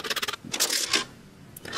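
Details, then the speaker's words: Touch-free automatic soap dispenser that lights up but no longer dispenses soap, being picked up before opening: bursts of light clicking and rattling when moved, like a small loose piece inside the housing; suspected cause of the fault, unconfirmed. "sounds like there is actually something loose in there so that could potentially be whatever's causing the issue i don't think they're supposed to rattle like that anyway"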